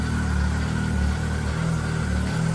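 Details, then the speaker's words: Arctic Cat 7000 Snow Pro four-stroke snowmobile, cold start: now starts easily after previously cranking without starting; steady, even low idle with no misses, knocks or hunting, warming up to temperature before touching throttle. "See? Starts up great. Like before, it would have a super hard time to crank over."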